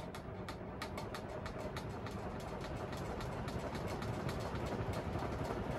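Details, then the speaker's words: Crompton Greaves High Breeze 56-inch ceiling fan ramping from zero to high speed: quick ticking rattle about three to four per second over a soft whoosh, from the canopy rubbing the wooden mount, left too tight; one blade possibly out of true. "again all that rattling is from the canopy i should have slackened it off a bit"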